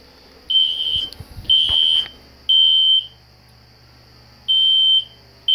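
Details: System Sensor SpectrAlert Classic horn strobe set on low volume, heard in the background: loud high-pitched half-second horn blasts repeating about once a second; fire alarm horn sounding properly.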